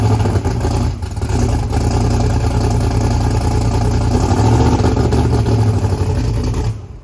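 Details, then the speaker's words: Blazer's Texas Speed blower engine with big turbos, newly fitted turbo oil restrictors: fires up running rough and stumbling. Misfire, running on only 4 cylinders because spark plug wires were left unhooked. "65, but it's only running on 4 cylinders. These spark plugs with wires I didn't hook up."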